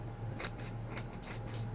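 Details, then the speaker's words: Nexx Racing threaded tele shock kit built on stock Axial SCX24 shocks, not oil-filled, one drip of oil added, worked by hand: short dry scraping squeaks each stroke, feels crunchy; seal dragging and binding, may need breaking in. "and they feel a little crunchy just a little bit but maybe they just need to be worked in a little"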